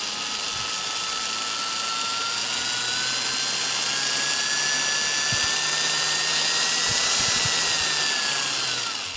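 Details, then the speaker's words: Milwaukee 0435-1 3/8" 12 V cordless drill, circa 1995, after trigger and chuck replacement, on an M14 14 V battery via adaptor: steady whine rises smoothly then eases off, no cut-outs. Normal variable speed. "So, I mean, these old tools, and this was a thing that way back when with these Milwaukee tools, the variable speed was always better on Milwaukee tools than the other tools, and you can just hear how much control you have there."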